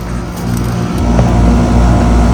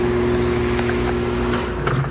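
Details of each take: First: 2017 Rheem central air conditioner, just after it shut off: steady low hum with fine, even pulsing and no knocks or rattles; normal scroll compressor sound. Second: 2017 two-bladed Rheem central air conditioner condenser, revisited: steady low motor hum with constant tone under the fan; noisy fan motor, as with many newer two-bladed Rheem and Ruud units.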